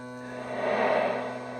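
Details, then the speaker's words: Crosley BC654a radio run from a separate power supply box: a loud, steady, buzzy hum from the speaker; the cause is uncertain, suspected to be the vibrator or mechanical noise. "I think this is physical noise mechanical noise yeah well I got a little box back here that keeps the radio running okay like that that's really a Humdinger"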